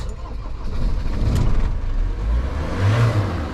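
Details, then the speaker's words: Self-built camper van that wouldn't start before the International Camper Van Show: short crank then engine catches and revs up to a steady running note; normal engine start. "It's alive! Right, that's one worry out of the way."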